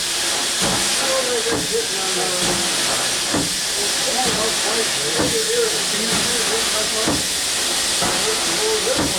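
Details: 1895 Bates Corliss stationary steam engine (14" bore, 36" stroke, 10 ft flywheel), first run in 80+ years on about 50 psi without dashpots: steady steam hiss with an even chuff about once a second; normal running.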